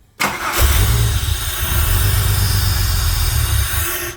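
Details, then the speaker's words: Holden VY Calais V6 on E85, cold start after coolant and 4L60E transmission service: catches then lumpy, stumbling beat; misfire later traced to cylinder six, rear left, spark plug and injector being checked. "there's a miss i can hear it alright let's do some investigating"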